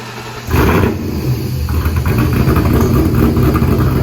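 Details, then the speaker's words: Roughly 1000 hp supercharged police car just switched from methanol to ethanol fuel. The engine catches and settles into a deep, choppy, lopey idle that stays even, sounding crisper than before; it sounds healthy. "nice job it even sounds a little crispier already that boy likes his ethanol"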